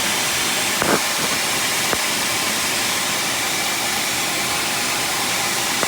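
A steady, loud hiss with faint puffing rides over the running engine with little low rumble, typical of an exhaust leak.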